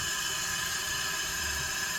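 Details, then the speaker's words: Datsun 720 King Cab pickup that sat about 17–20 years, air fed into cylinder 1 during a leak test: a steady hiss of air escaping through cylinders 2, 3 and 4. Owner suspects the No. 1 intake valve is not closing. "Coming out of number 2 and number 3 and number 4. How is that possible? Unless the intake's not closed."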